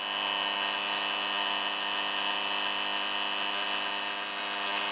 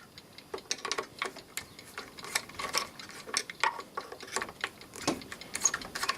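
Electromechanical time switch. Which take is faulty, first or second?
first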